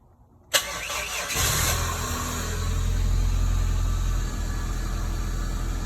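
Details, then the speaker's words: 1995-1999 Toyota Tercel with newly installed starter; a brief sluggish, laboured crank that sounds under load before the engine fires and settles into a steady idle: slow-ish crank. "A bit of a slow-ish crank. You know, it's definitely not lightning fast, but I'll go ahead and shut it off."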